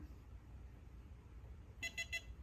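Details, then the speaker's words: Ainiro biometric pistol safe, unregistered finger on the fingerprint reader: three quick high beeps over quiet street background; fingerprint rejected error beep. "So we're getting basically an error, so we'll go back here."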